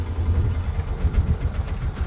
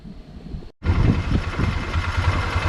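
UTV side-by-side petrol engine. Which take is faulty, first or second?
first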